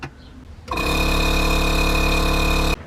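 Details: Air compressor refilling an empty tank while working on a Subaru STi on air suspension: it kicks on with an even buzzing drone, holds about two seconds, then cuts off; normal running.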